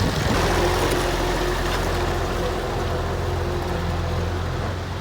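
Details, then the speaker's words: Massey Ferguson 1105 tractor, an abandoned project machine: a deep, even diesel rumble at about three and a half pulses a second, holding steady with no misses or knocks. It runs well. Normal idle. "Guys, what do you say? That thing is a runner. Listen to that old girl turn."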